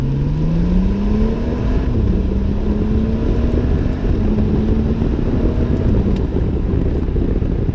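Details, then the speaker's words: BMW F30 335i with electronic exhaust flap, automatic in manual S mode, hard acceleration from 2nd gear toward about 6000 rpm: deep booming exhaust note swelling, "BOM, BOM, BOM", healthy sporty drone with the flap open, not perceived as louder. "Habt ihr mitbekommen? Da macht es halt eindeutig BOM, BOM, BOM."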